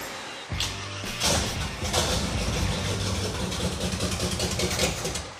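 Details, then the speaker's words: Engine primed by hand after power to the HEI was confirmed; it catches and runs evenly with no misfire or knock. It runs smoothly but is not picking up gasoline from the tank; a crack in a fuel line is suspected. "runs pretty smooth it sounds good still not picking up gasoline but little bit it's running it sounds great yeah it really does"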